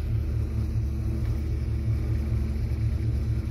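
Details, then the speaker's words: 1991 Ford Fox Body 5.0 V8 with Holley Terminator X and stock Ford IAC, warming up: low, even lopey burble holding smooth at the 1000 rpm idle target; idle air control working normally. "we're at 1200 right now so it's exactly where it needs to be and the eye position is way open"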